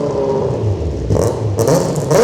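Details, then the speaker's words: Hayabusa engine in Nissan Micra, still cold, revved: revs rise in uneven bursts, boggy and stumbling before revving out; radiator top hose leaking; cause of bog not confirmed. "Rev for me. Seems a bit boggy at me. It's still cold, but it does rev out after that."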